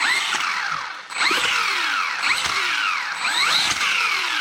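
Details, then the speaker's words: Hosim X08 1/10 brushless RC monster truck: motor whine sweeps up, then cuts out and jerks each time throttle is reapplied while coasting, because the speed controller locks onto the brake. "see that see that jerk that it does because what it's doing is when I go ahead and pull on the trigger see when it's coasting and I go to give it throttle again it locks onto the brake and then it causes an issue"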